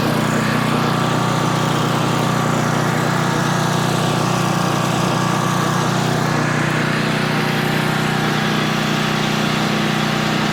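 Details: Older Tecumseh engine on a 4,000 W generator, adjusted to 60.8 Hz, under a 1500 W load of nearly half capacity: steady, even drone with no hunting, surging or struggling; the governor holds speed well.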